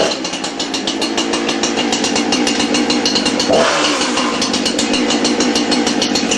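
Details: Husqvarna 350 chainsaw, a free saw that sat for years and wouldn't start, first run: fast, buzzy two-stroke crackle holding a steady high idle with a slight waver; running cleanly.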